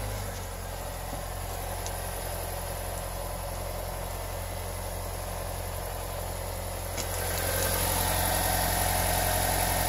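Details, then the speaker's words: 2017 Honda Civic after cleaning and Teflon dry-lubing the CV boots that caused front-end rubbing/screeching: steady, even engine hum with front wheels turning, now silent with no rubbing. "sprayed it with a PB Blaster like dry lube with Teflon or something like that and I just put a ratchet on the 36-inch a nut on the hub it's like I'm spinning my hand while I sprayed the whole service went to the other side sprayed it let it dry put another coat on and then now check it out perfect silence check it out"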